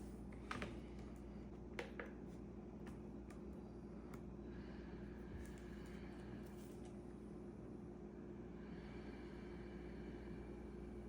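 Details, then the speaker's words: ResMed AirSense 10 CPAP after replacing the blower motor to cure whining on inhale: quiet steady low blower hum with no whine, then handling clicks. "so that was the fix you can clearly tell a difference between the before and after"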